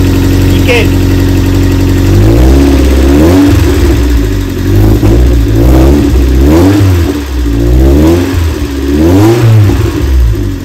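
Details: Lotus Elise restarted after its fuel pump was refitted in the steel tank: engine catches and settles into a steady hum with a few smooth rev blips rising and falling, running clean and even; normal running.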